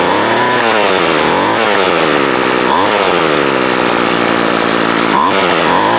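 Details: Craftsman 24cc 17" two-stroke trimmer that had broken fuel lines and a broken primer ball, run after the cylinder was cleared and the plug checked. It buzzes steadily and revs cleanly with throttle, no stumbles: normal running.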